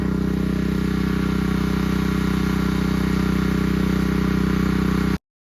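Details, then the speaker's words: Champion 3200 PSI 2.5 GPM pressure washer from Home Depot, new and just assembled, running with water connected: steady, even single-cylinder drone with no misses or knocks; runs normally, though soap is not drawn up the hose. "Well, it's running fine, other than I'm not able to get the soap to go up through the hose like it's supposed to, so I don't know what's going on"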